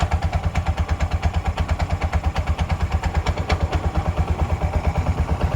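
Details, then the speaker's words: Bajaj auto rickshaw 205cc engine after welding, idling with the clutch pressed: a steady, even putter with no noise or rattles; any slight clutch bell sound is normal. "ಯಾವುದೇ ರೀತಿ noise ಇಲ್ಲ."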